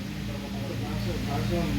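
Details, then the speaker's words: Mahindra Scorpio diesel idling after cylinder head repair (bent valves and broken rockers on cylinders 1 and 4 had caused misfire and smoke): even, settled tick-over with no vibration, stumbles or rattles; healthy idle. "और फिलहाल देखिए गाड़ी एकदम normal सा चल रहा है, vibration वगैरह कुछ भी नहीं है, एकदम आराम से चल रहा है।"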